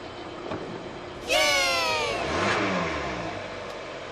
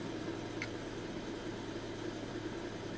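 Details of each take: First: Kia 2.4 GDI Theta II (G4) engine, cold, after pump replacement at the dealer cured an intermittent noise: revs blip up and settle cleanly twice with no knock, tick or rattle; normal engine revving. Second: Kia 2.4 Theta II GDI engine, slightly cooled, in Drive; steady droning rush with a low hum underneath, noise absent in Park, pointing to the air-conditioning compressor.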